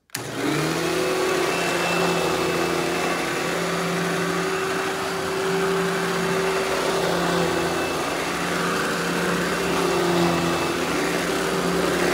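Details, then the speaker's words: Eureka Boss Smart Vac 4870 type GZ upright vacuum with a replaced belt: steady, even motor whir at one pitch with no rattle or surging. Normal running. "now I'm gonna go ahead and turn this thing on demo it for you guys and you can hear how smooth it runs"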